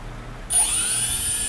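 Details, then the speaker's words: Brushless motor on a modified I2C ESC based on a Turnigy 18A Plush with patched firmware, commanded at a 1 Hz I2C update rate, so start-up is delayed. Quiet briefly, then a sudden high, steady whine. Normal spin-up. "maybe you noticed also that it was taking some time until the engine was starting it's because of the updating speed updating frequency"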